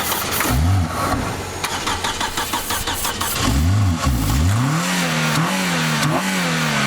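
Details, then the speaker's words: Project car that would not start: cranks briefly, catches on ether starting fluid at full throttle, then revs rise and fall unevenly as it clears; it runs, original no-start cause unknown. "okay motor medic instant start starting fluid started this car instantly and it worked"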